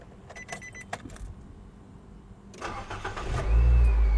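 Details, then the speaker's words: A car starting on a newly fitted Panasonic-made battery at 12.49 V (83%), after the key was left on 10 seconds: a few clicks, a brief crank, then a quick catch into a strong steady idle. Cranking voltage is 10.53 V and charging 14.38 V. "Okey, masih low power tapi senang start lah. Kita biarkan. Okey, cranking test tadi 10.53 volt."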